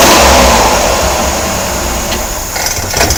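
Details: Chevrolet Corvair air-cooled six with belt off: revs then settles with rough knock running through; knocking present, source unknown.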